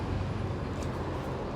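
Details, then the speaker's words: 2010 Dodge Charger 3.5 L V6 idling with a loose, uneven valvetrain rattle only at idle, not when revved; traced to worn rocker arms on the rear cylinder bank, not a lifter (no misfire). "so it's kind of like like that noise and it only does it at idle you don't rev up real loud when you speed up it just kind of rattles like that so mine was coming from the rear cylinder the rear set"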